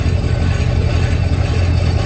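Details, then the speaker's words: Heavy, low, constant growl from the worn rear end gears under a customer's Chevy Silverado, probably a 2002, while the wheels turn in gear; owner complains of grinding at startup when shifting into any gear; rear differential growl suspected. "I wanted the growling I heard was from the rear end oh I feel something not easy in there no good in there"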